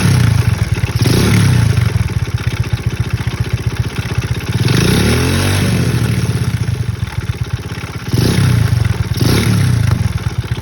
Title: Мопед альфа, мопед 110,стучит двигатель, стук возле сцепления